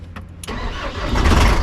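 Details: 24V horsebox system (two 12V batteries, one front, one rear), jump-start attempt with a 12V boost pack: a few quick cranking bursts, then engine catches and settles into a steady rumbling idle. Normal start.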